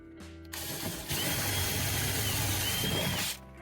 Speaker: Customer reports horrendous noise when braking. I don't know why I'm getting plagued with so many braking issues, but customer's gone for the black and rusty bronze look on the wheel. There's your first indication that you got a severe braking issue.